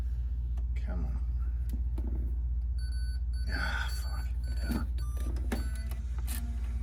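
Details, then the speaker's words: Digital 8 camcorder tape playing in a deck: low motor hum with uneven squeaks, chirps and clicks as the tape drags; the tape has split in the transport. "it doesn't sound good when it's in the um yeah look it's split about 12"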